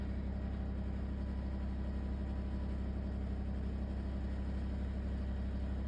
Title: LG ThinQ wses4728f - horrible rattling noise